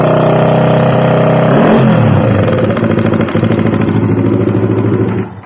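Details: Honda CBR150 single at idle that previously ran completely out of oil and stays noisy even after an oil change; a hard, quick clacking from mid-engine rides over the beat, from a worn camshaft bearing.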